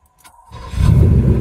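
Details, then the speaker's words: 1984 Porsche 928 with a suspected intermittent starter problem, unlikely to involve the torque tube: short even crank that catches at once and settles into a smooth low idle with no growl or grinding. The fault did not show this time. "Nope, that one was perfect. So yeah, I probably won't do it."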